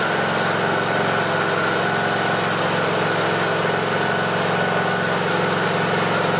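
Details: Briggs and Stratton 18.5 hp Intek small petrol mower engine idling at an even, steady speed with no rise and fall, after the surging was fixed by cleaning the carburettor pilot jet.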